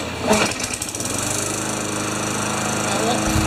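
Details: Craftsman Tecumseh mower after a carburetor clean (one clog, emulsion tube and jets) and fitting the missing carb-to-intake gasket. It starts, then settles into a steady, even buzz with no surging; it runs cleanly.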